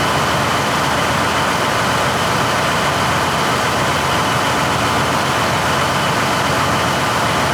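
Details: 1953 GE 80-ton long-frame diesel locomotive, last run 1998 by the Navy, just revived: deep steady drone at even pitch under load, no knocks or misses; healthy. Air throttle has dead spots, likely loose wiring.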